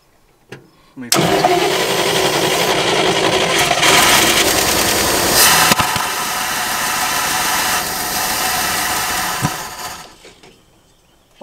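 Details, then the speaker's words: 1969 Fargo 500 dump truck with a two-barrel carb, cranks, catches and roars briefly on gas poured into the carburettor, then dies after about nine seconds; fuel starvation, tank fuel not yet drawn up. "trying to get the fuel from the tank all the way up we probably should have put gas in it right away"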